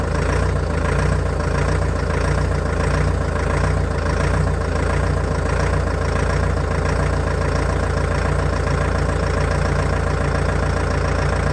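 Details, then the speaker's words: Old Caterpillar excavator diesel, first start in months on new batteries, cold day: very slow, even low-pitched thrum with no knocks at very low cold idle; people familiar with Cat engines judged it sound. "the revs are incredibly low i've sent the video to a few guys who are familiar with cats and they've had a look at it and they're happy with the way it sounds"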